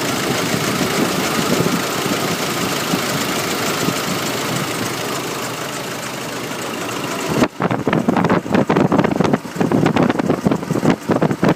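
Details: Nissan YD25 diesel at idle: a dense, rattly clatter that turns choppier and more pronounced after a few seconds; owner unsure whether injectors, timing chain, belts, pulleys or turbo; unidentified engine noise.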